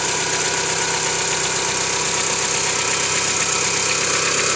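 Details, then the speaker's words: 1995 Mitsubishi Lancer 4G92, about 5,000 km since rebuild, no oil burning, compression normal: cold-start idle with a light steady tapping around 160 per minute for about 30 seconds in the morning; knock source undetermined. "Итак, Mitsubishi Lancer, 95 год, 4G92, стук на холодную. Что может быть?"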